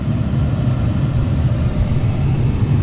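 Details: 2010–2012 Dodge Ram after replacing the blend door actuator, tested on defrost: a steady, even whoosh of air with a low hum and no clunks or ticks; the blower and blend door are working normally.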